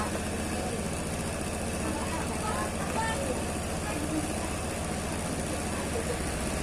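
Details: Honda Beat scooter with a 54 mm big-bore piston, on a new battery at about 13 V, cranks with a slow heavy thump on the electric starter against high compression, then catches on the first attempt.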